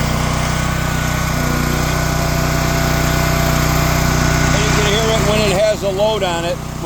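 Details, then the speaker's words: Champion dual-fuel generator on its weekly run with the petcock open: steady drone at fixed speed with a slightly rough, uneven beat. It is running on full choke under load. "the petcocks open as you can see batter's on full choke"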